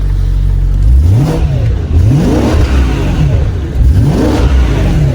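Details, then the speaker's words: E93 BMW M3 V8 on its stock exhaust before the exhaust change, being revved from idle: quick clean blips that rise and fall smoothly with no misfire or rattle. It revs freely and normally. "it's all right it's all right for a stock car but this thing's going to about to sound insane"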